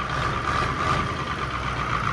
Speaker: now it has like a flutter to it it kind of has a little bit of a you can hear unevenness that could still be from everything